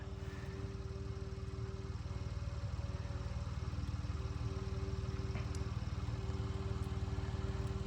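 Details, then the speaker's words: 1975 Ford Transit MK1 diesel, cold start in mild temperatures after glow plug and grid heater preheat, smoking: steady starter churn at about two turns per second that never catches; cranks but will not start, cause not confirmed. "so when I hear the fuel pump drag down that's when I know the glow plugs and everything are heating up see the smoke it's probably going to be the longest failed coal start on"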